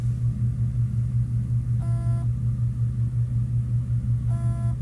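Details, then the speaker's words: Seagate 500 GB drive from an HP desktop showing no drive present, powered on an external dock; steady low buzz pulsing about three times a second, never spins up or mounts, head stuck on the platter. "it's like a buzzing sound and then of course it's not going to come up yeah it's not going to come up in the discs"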